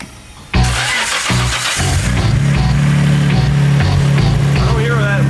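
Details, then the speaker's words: Nissan R32 Skyline GTR, first start after a blown engine was replaced with another engine in 48 hours. A brief crank catches cleanly into a steady, even idle under music: normal start-up and idle. "All right, the time has come. After a long 48 hours, the GTR is back. Starts up, purrs like a kitten."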